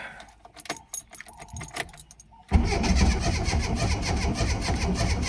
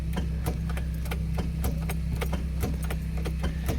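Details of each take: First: Ford Escort Mk3 GLE cranking after cleaning and redoing a terminal and rerouting the alternator wire: starter spins the engine with an even, strong churn and no dragging or clicking: normal cranking. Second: Ford Escort MK3 GLE cranking after the timing was readjusted, with a weak battery: a low steady drone with irregular sharp ticks around three or four a second, a slow laboured crank. The owner blames a worn starter motor rather than the battery.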